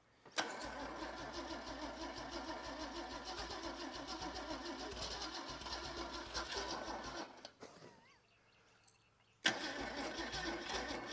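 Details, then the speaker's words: Holden red motor 173 ci (2.8 L) six, about 1971, ex-Bedford CF van, unrun for years, fuel tipped into carburettor: sluggish, uneven cranking about three turns a second, no catch, dying off as the battery goes flat. "just as we try to get some progress the battery goes flat"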